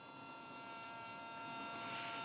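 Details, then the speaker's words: Sony WM-190 Walkman cassette player with a new belt and original spent or leaking electrolytic capacitors, playing at maximum volume: a constant thin buzzing whine and distortion, which the owner attributes to the capacitors. "you hear this? This is all because of the capacitors."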